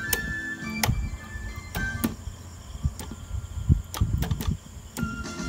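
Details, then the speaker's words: Sharp GF-700Z cassette radio under repair: playback music surges loud then drops quiet in uneven bursts; intermittent audio from a dirty selector lever switch that must be removed and cleaned, with the circuit also suspected. "Có lúc nó đang bị chụp Trần này lúc nói to lúc nói nhỏ này cần này là đầu tiên là cần này phải tháo vệ sinh"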